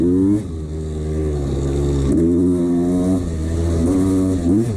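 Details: 1989 Honda CR250 two-stroke revving up and down with a tinny rattle under the exhaust note; worn piston slapping in the bore, which the owner ignored.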